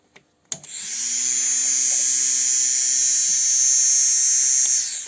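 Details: Chery Amulet 1.6 new electric fuel pump, replaced after the old one failed from dirt entering through a cracked, clogged fuel filter: sharp switch-on, then a steady high-pitched whir for four seconds before stopping; normal operation.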